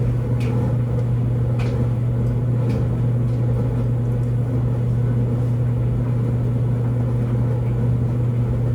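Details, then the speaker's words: LG DLGX4001 dryer, normal cycle with TurboSteam, average load of regular clothes, just after first TurboSteam round returning to heating; steady low drone with faint ticks as the drum turns, no scraping or squeal; normal. "there was the uh first round of Turbo steam there right after the steaming it goes straight back to"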